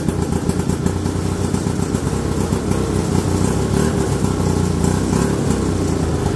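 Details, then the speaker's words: 1969/70 Sears snowmobile, single-cylinder Kohler two-stroke, sat outside a year, first run after revival, no snow: ragged busy chatter never settling to clean idle; owner says it's sucking air and running lean, cause not confirmed. "yeah we're sucking air there so she's running lean"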